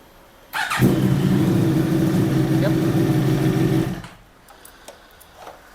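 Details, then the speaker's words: Yamaha R1 after fitting a new starter motor; it previously wouldn't crank, or cranked once and wouldn't start when hot. Now quick, strong, even cranking at about four beats a second for three seconds. Starter is healthy; a fuel pump relay issue remains. "so that was really fast uh swapped it in the bike cranks beautifully now"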